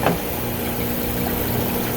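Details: Glycol beer line chiller circulation pump (replaced earlier, fresh glycol), drawing 5.3 A of 6.1 A allowed, good flow; steady low hum with a soft rush of liquid, no rattles or cavitation; pump sounds healthy.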